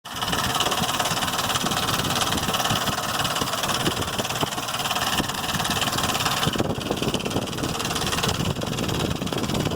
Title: 2005 Explorer 4.0 engine making noises lifters or timing chain?